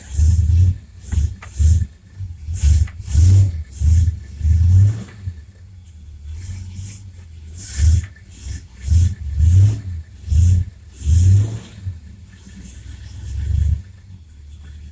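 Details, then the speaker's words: Mopar car, rebuilt Federal-style power steering pump after refilling fluid, engine running, wheel cycled lock to lock to bleed air; engine note sags in low surges with no whine or groan. Normal power steering operation. "this is how we bleed the system out I don't hear any noise sounding good"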